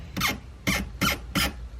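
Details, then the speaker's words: Miata with newly installed NRG steering wheel and quick release: four short sharp squeaks about a third of a second apart from the hub area as the wheel turns; owner suspects it was tightened too hard, unconfirmed; steering wheel squeak. "That don't sound good. Yeah, I think I tightened it too hard."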